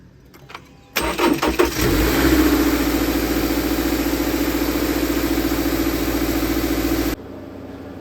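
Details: 2021 Subaru Outback (6th gen) engine started after replacing the PCV valve at 60,000-mile maintenance: quick crank, catches at once, settles into a smooth, even idle with no hiss or stumble; running normally after repair.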